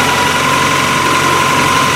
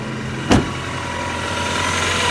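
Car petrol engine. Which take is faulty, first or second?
second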